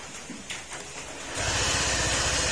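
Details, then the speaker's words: Honda PCX160 at 46,712 km, due for an engine overhaul. After a quiet crank it fires into a loud, deep, rough drone like a big bike, far heavier than a scooter should make; the crankshaft bearing is blamed. "Ayan, parang big bike. Yan, yan yung tunog niya mga sir. Parang big bike."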